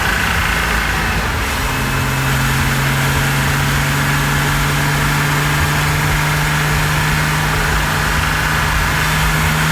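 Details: 2006 Porsche Cayman S flat-six, rebuilt engine with 40,000 km, warmed up, driving near 3,100 rpm in second/third gear, phone mic with engine cover off: faint irregular knock under engine and road drone. Cause unknown.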